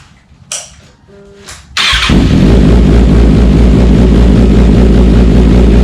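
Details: Kawasaki ZX6R with decatted stock header and slip-on just installed: engine settles into a deep, steady, even burble with louder, freer exhaust note; healthy running, breathing better.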